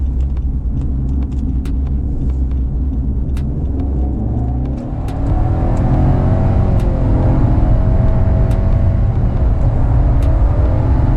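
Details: 2016 Nissan Rogue 4-cylinder with CVT, accelerating hard up a highway on-ramp: deep flat droning rumble held at high revs, swelling as speed builds, sounding choked; owner attributes it to underpowered engine with CVT; engine drone under hard acceleration.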